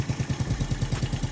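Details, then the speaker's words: Yamaha Neo 115 scooter, fairing removed, strange noise after using the kick-start pedal: steady rhythmic scraping riding along with the idle, traced to the kick-start shaft touching. Kick-start shaft rubbing. "eu acho que é aqui o barulho ó tá vendo vou ver se tem como jogar D mais pra frente mais para trás aqui mas o barulho é aqui galera"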